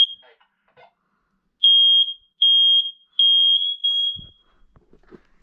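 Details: Spare bedroom smoke alarm on monthly test: four loud, shrill, evenly spaced beeps then quiet; alarm sounds properly and is working normally.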